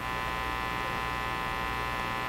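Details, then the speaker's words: National HRO Sixty communications receiver heard through the headphone jack. Loud, steady, fixed-pitch mains-like buzz with no stations heard; the owner concludes the internal audio system is faulty. "That sound. Still very hummy. We're not going to hear any stations here."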